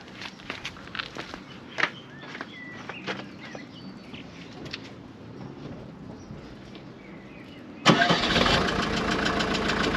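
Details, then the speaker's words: Mercedes W201 190D diesel: it cranks and catches, then a single sharp metallic bang as the exhaust clangs against the chassis. This happens mainly when the engine starts, not while driving. "because I do hear the exhaust clanging against the chassis or something you don't hear it while driving I mainly hear it when I start the engine"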